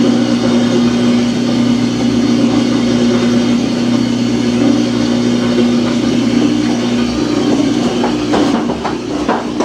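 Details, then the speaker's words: Samsung washing machine under a year old on spin cycle: steady low hum and mid drone with a few knocks, tub shifting around, no rising spin; washer will not complete the spin. "Spin cycle will not spin. Now it's starting to spin, and it's probably going to make that noise again. See the tub shifting around, will not complete the spin."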